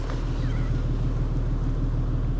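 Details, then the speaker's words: BMW M550d F10 3.0 L six-cylinder turbo diesel, first start after coolant leak repair and water flange replacement, no further leak: soft, even low rumble with smooth steady beat, no knocks or ticks, a quiet, healthy idle. "on entend quasiment rien le 6 cylindres 3 l trurbo diesel de l'Apocalypse"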